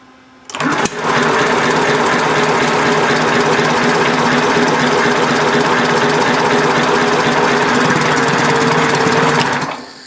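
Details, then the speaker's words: Homemade inline four-cylinder engine built from Briggs & Stratton engines, temporary throttle, no throttle return spring: loud, rough, ragged clatter at about three and a half beats a second that never settles; mixture suspected to need setting. "okay it sound like it's going to start you just got to figure out the right mixture"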